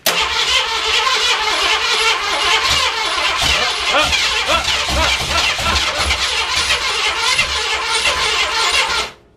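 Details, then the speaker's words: Carbureted project car, timing set right after distributor install: starter grinds steadily with occasional near-fires that never take; cranks but won't start, owner suspects a fuel issue. "it's Clos man we got it timed right it a it's a fuel issue now now I'm getting excited"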